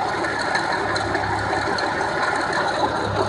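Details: 1989 Jeep Cherokee 4.0L I6 (AW4) running. A constant gritty rattle and whir comes from the front mechanical clutch fan, which had been wobbling and making noises before its bearing seized. Loose fan clutch bearing noise.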